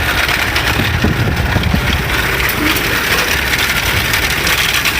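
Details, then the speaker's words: 1930 Ford Model A flathead four-cylinder, updraft carburetor, rebuilt distributor and carburetor, fuel system work, idling with timing advanced via lever. Steady, even chuffing idle with low rumble, no knocks or stumbles; running well. "But all in all, it runs pretty good. I like it."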